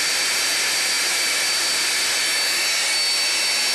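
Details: Scarlett SC-280 1600 W vacuum cleaner, water- and dirt-damaged, after motor reassembly with bearings replaced: steady high-pitched whir at even speed with a faint scratchy edge from brushes still bedding in. Running normally.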